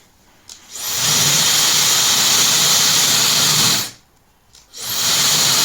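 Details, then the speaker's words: Good hair dryer, via a LOTO oscilloscope sound probe: airflow hiss and motor whine swell then hold even and steady; gradual 2–3 s motor speed-up marks a healthy start-up. "比较明显，会有个升速过程。"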